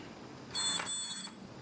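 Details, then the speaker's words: Nikon 300mm f/4D IF-ED AF-S (non-VR) lens on a D700, bought used a year ago, unused about 8 months: thin high squeal under a second while autofocusing; owner unsure if normal or a fault. "That's starting to make a squeaky sound, which I am not completely sure if this is a problem or it's just normal. Looking online, it says these lenses do squeak, but some sources do suggest that that may be cause of an issue."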